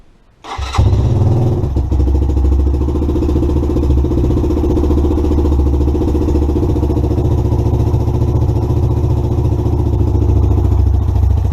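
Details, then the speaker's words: 2017 Lexmoto Adrenaline fuel-injected motorcycle after a sensor fix, no codes: fires first try, completely cold, settles into steady putter slightly rough while cold; healthy idle, moisture ejected from exhaust. "bikes happy as Larry sound a little bit rough there but that was completely cold"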